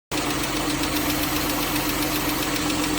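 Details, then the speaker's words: Chrysler/Jeep/Dodge 3.6 L Pentastar V6 petrol at idle: a quick, sharp ticking over a steady hum, caused by a failed rocker arm. "That ticking noise is from a failed rocker arm."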